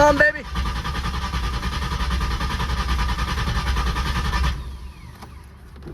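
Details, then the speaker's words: Ford Capri project, first start attempt with a new 66-in belt fitted and the fuel pump heard priming: starter churns steadily for about four seconds but the engine never catches; owner wonders if it is out of gas. "See if we're getting fuel up here. It may be out of gas. Maybe not."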